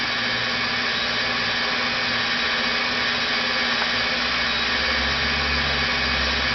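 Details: Rebuilt NetGain WarP 9 DC motor seating new National T300 brushes, idled by an EVNetics Soliton1 after about 40 hours of running. Smooth, constant-pitch whir near 900–1000 rpm, just before the rpm unexpectedly sags below 900, cause unknown. Normal idle so far.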